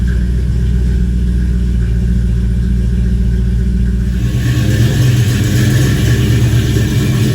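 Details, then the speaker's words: 1968 Dodge Dart GT convertible, 318 V8 from a truck with under 70,000 miles, 4-speed manual, sat about six and a half years, owner thinks 140 psi compression on all 8 cylinders, good oil pressure: smooth low rumble picking up cleanly on throttle, firing evenly, no tapping or knocking; healthy. "As far as the engine running, I think it has 140 pounds of compression on all 8 cylinders."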